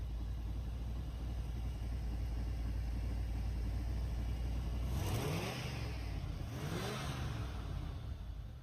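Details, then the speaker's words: 1993 Cadillac Fleetwood after fixing a crank/no-start caused by a snapped blue wire at the starter: low steady idle, then two quick clean revs that rise and fall smoothly; engine runs healthy. "Well, guys, so we got it finally running, and as you see, this blue wire right here was snapped"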